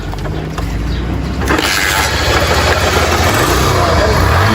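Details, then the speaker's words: Single-cylinder motorcycle after valve cleaning raised compression, now kick-started: it catches and settles into a steady, even idle with a regular beat; running healthy. "Não é que segurou mesmo? Milagre, hein? Milagre."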